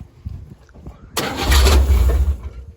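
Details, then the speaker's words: 1957 Chevy wagon V8, off the road 30 years, start attempt with gas poured into the carb and corroded, disconnected throttle linkage: catches with a rough one-second burst then quits; owner thinks it is losing ignition. "See, it's losing ignition. Huh? It's losing ignition, I think."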